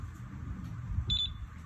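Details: Single short high-pitched beep over quiet room hum as a BLDC fan controller (Wi-Fi, app-controlled) switches the fan off; a normal confirmation tone.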